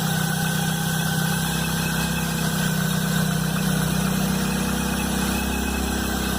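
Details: Chevrolet Blazer at cold-start idle, noise appearing the morning after a mechanic replaced the timing belt and upper belt: loud rough tone with an uneven beat around four per second over the engine; cause unknown.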